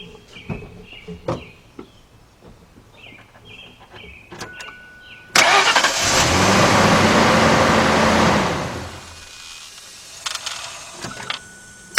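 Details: 1998 Ford F-150, 4.6 Triton V8, brought in for no-crank, no-start despite a new battery; corroded terminals were found. Start attempt: clicks and clunks, then a strong crank that catches quickly and runs steadily. A normal, healthy start.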